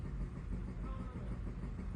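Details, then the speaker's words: Mazda CX-5 after replacing the mass airflow sensor and air filter (codes P0101/P0102/P0113/P0171): low, steady idle with even rumble, no stumbling or surging; normal idle, previously shaky and choking. "But now since we put in the new mass airflow sensor and change out the filter, the engine's back to like normal idling."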